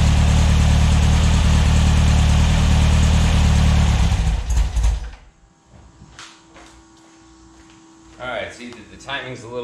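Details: VW air-cooled 2332cc stroker flat-four (94mm Mahle pistons, SCAT 84mm crank, Engle FK42 cam, dual Weber IDF 44) in a 1966 split bus, first start: loud and uneven about four seconds then cuts out; carbs suspected; rough running.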